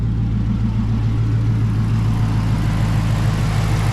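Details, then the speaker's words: 6.1 Hemi V8 in a 2006–2010 Dodge Charger at idle: a deep, steady, even low rumble with no ticking or knocking; it sounds like a healthy engine. "is what a healthy 61 hemi sounds like"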